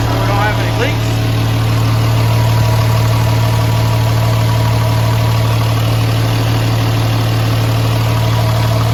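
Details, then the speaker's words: Mega Cab diesel street truck, first start after fitting a new S475 turbo with primed oil feed line: steady, even low idle rumble with faint regular clatter, no knocks or whistles, smooth and quiet. "Well, ladies and gentlemen, I'll have to say I am pretty impressed. It is smooth. It is pretty well quiet until you step into it."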